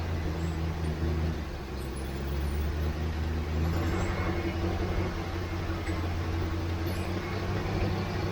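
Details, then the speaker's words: 1967 Ford Mustang carbureted V8, sat for months, after adding about 2 gallons of gas: deep smooth steady idle burble, no stumbles; running properly, lack of fuel likely the problem. "Well, that must be what it was, because that's a lot better."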